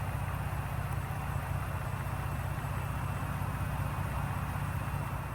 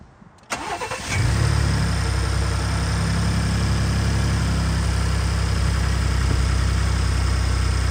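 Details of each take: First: 2018 Ford EcoBoost truck, cam phasers previously replaced, after oil change with Mobil 1 and ProLube oil treatment and 10-15 minutes run time: low, even idle with no tick or rattle; former rattle-tick gone. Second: 2018 Ford EcoBoost V6 truck starting and settling to idle before the ProLube oil treatment: light, quick sewing-machine tick and rattle over the low hum, persisting even after cam phaser replacement.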